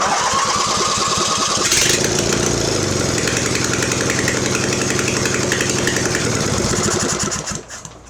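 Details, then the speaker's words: Mastercraft (MTD) 46" riding mower, Briggs twin, long unused, fuel poured into carb bowl: fires, runs rough and uneven several seconds, then dies on bowl fuel; owner suspects gummed carburetor needing overhaul, unconfirmed. "I think we're going to need to overhaul that carburetor, but it has been sitting for so long that I think that carb is going to be gummed up, but I don't know for sure."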